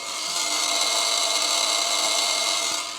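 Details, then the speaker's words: 100-year-old Ford Model T with six volts at the horn, key on: steady, harsh, high-pitched buzz of trembler ignition coils getting power and firing normally. "so we know we're actually getting power to the coils they're buzzing like they should"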